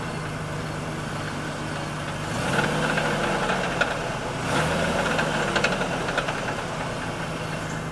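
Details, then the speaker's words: Ford Taurus idling after start, windows closed then opened with light revving, recorded inside and outside the car: steady hum with a loose, uneven rattle coming and going; owner suspects exhaust, not engine, unconfirmed. "so my question is what in the [ __ ] is that like I said I'm thinking it's it's it's the exhaust but I don't know for sure that's why I'm asking"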